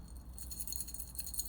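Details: Ajanta quartz watch AWC132ESG/4, stainless steel jubilee bracelet being handled: scattered metallic clinks from solid links with oversized gaps, loudest at the lug joint.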